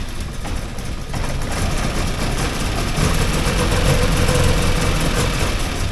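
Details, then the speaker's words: 1979 Porsche 924 idling cold after a fuel tank deep clean: a lumpy, uneven idle with an unsteady low rumble that firms slightly as it runs, rough until warmed up. "Yeah, there it starts right up. Runs rough when it first starts."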